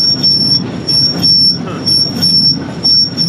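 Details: Barn-find Massey Ferguson 300 combine being prepped to pick corn, running: piercing steady squeal pulsing about once a second over a dull rumble; owner suspects a bearing or the one behind it.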